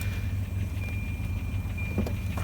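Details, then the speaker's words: 1989 Volvo 740 turbo intercooler, about 194,000 miles, oil leak, hood open; steady even low idle pulse with faint constant high whine, no knocks or misses. Runs good, normal idle. "Like it's gonna need a little love here and there, but it's a Volvo, it runs good."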